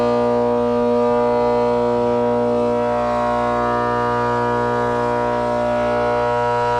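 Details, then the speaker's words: Trane condenser (2004, XB12, about 4-ton, R22) with an 825 RPM, quarter-horse, 208/230 V fan motor: a loud steady whining drone. Bearings are shot and the motor needs replacing. The system sometimes fails to run and clunks, and head pressure is very low, so a leak is suspected. "Clearly that thing is loud as it can be and needs to be changed."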